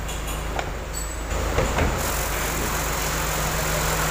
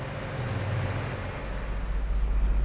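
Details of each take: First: Chevrolet Aveo engine idling with AC switched on: rough, steady growl and low hum from the worn original AC compressor, AC still cold; fix is custom-mounting a replacement compressor on the Aveo bracket. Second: Chevrolet Aveo idling with AC on after its growling original compressor was replaced by a custom-fitted Avanza compressor with new hoses and freon recharge: low, even hum, no knocking or growling; vent reaches about 5.3–5.9 °C.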